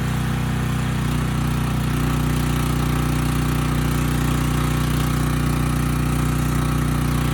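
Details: Briggs and Stratton Storm Responder generator, bought as parts machine, checked frequency no-load then under 3,000 watt load; smooth constant drone at one steady speed, no surging or misfire; ran slightly fast before governor tab bent; normal running.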